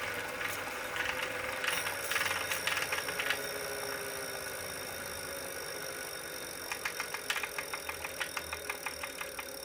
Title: Wahoo Kickr Core Clicking noise